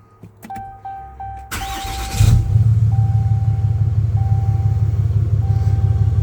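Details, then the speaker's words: 2019+ Ram 6.7L Cummins diesel after fuel filter and water separator replacement, primed with two key cycles: starter cranks briefly, engine catches and settles into a steady low diesel rumble that keeps running. "So it should stay running. If it doesn't, by some chance, if it stalls, then just shut it off, cycle the key back on again, let the pump run for another cycle, and everything should be good."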